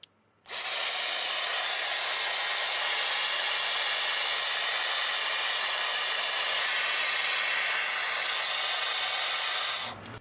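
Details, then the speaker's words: Dyson Airwrap that cuts out after about 5 minutes, run on full fan speed with no heat before cleaning: a steady, loud airy rush with a thin, strained high whine, motor starved of air. "It's just it sounds like there's a starvation of um air on it. It's not quite as powerful."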